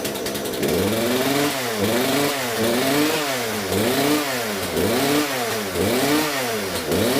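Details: Poulan P3314 chainsaw just after swapping in a replacement carburetor: the engine surges up and down about once a second in a steady rhythm and picks up cleanly; runs far better, carb may need slight tuning.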